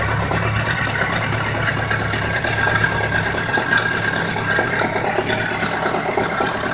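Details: 1999 BMW K 1200 RS at steady idle with a light, irregular metallic ticking and rattle over the engine; knock and ticking at idle, source not pinned down.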